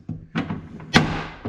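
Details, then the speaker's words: Toyota FJ Cruiser rear door, trim panel removed: several dull thuds on closing, each with a loose rattly edge, long assumed normal; a missing nut let the door hardware rattle, and fitting a spare nut stopped the noise. "oh i'm missing a nut but i've got an extra laying around look at that no more noise"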